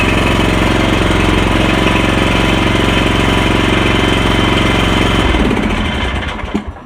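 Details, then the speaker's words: Husqvarna Rider 970 with a Briggs & Stratton 15.5 HP engine, after replacing the stripped starter gear and the flywheel ring gear. The engine catches at once, settles into a firm, even thump of about three beats a second, then winds down cleanly: a normal start and idle. "there you go, guys. New ring gear, new gear on the starter. Starts good,"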